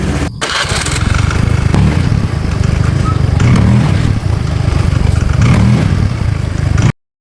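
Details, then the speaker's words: Honda Click 110i fuel-injected scooter, previously crashed, after new fuel pump fitted: steady even idle with no misses; scanner notes worn engine demanding more fuel; now idling normally. "ก็ตอนนี้รถเดินเบาได้ปกติแล้วนะครับ"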